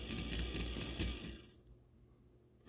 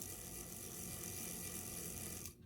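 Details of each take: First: Life-Like Proto 1000/2000 model locomotive with cracked axle gears: a fast, light ticking whir with stops and restarts as the gear jumps, and it locks up outright in reverse. The drive binds from a cracked axle gear. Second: Life-Like Proto 1000/2000 model locomotive after replacing cracked axle gears, squaring bearings and light greasing: smooth even gear whirr for about two seconds; drive sounds healthy, fixed.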